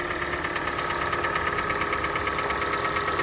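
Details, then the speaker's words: Hyundai ix35, 101,000 km, cold start: fast, even, light ticking about three per second over steady cold idle, like top-end valvetrain tick, quieter when warm; owner suspects hydraulic lifters, not confirmed. "так вот эта машина моя супруги и на холодную начался вот такой стук потом машина прогревается стук становится тише"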